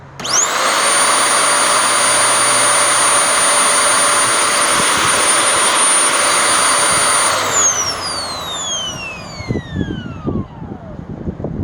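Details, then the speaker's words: Curb-found vacuum motor switched on from a power strip: spins up quickly to a steady high whine, blows out dust, holds even, then winds down smoothly; motor survived though part of the power nozzle brush roll did not. "Yeah, so fortunately or unfortunately, looks like the motor survived."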